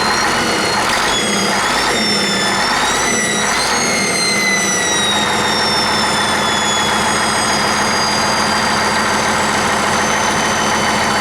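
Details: 1959 Caterpillar D337F diesel genset, stored in a barn 10 to 12 years, just started and resting at idle (needs the shutdown lever to stop). Steady, even idle with no knocks or misses, as if never shut down: normal idle.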